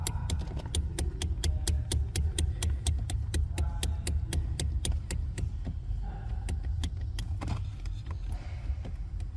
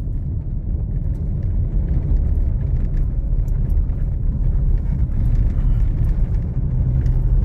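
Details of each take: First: 2021 Toyota Hilux with 88,720 km: phone placed under the dash while the steering column is shaken by hand, giving rapid sharp clicking knocks from steering column play; the column and pedal assembly are to be replaced. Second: 2021 Toyota Hilux, 88,720 km, while driving: only smooth, even road rumble, no knocks or clunks from the column; steering column sounds healthy.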